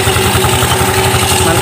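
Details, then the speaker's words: Automatic scooter after cleaning dirt, sanding rust and tightening bolts in the clutch area to cure judder (gredeg) at initial start: quick, even idle pulses, steady pitch, no shudder or rattle; judder gone, normal idle. "Oke, seperti itu normal ya. Oke, sudah normal. Nah, ini nanti geredeknya sudah hilang, Guys."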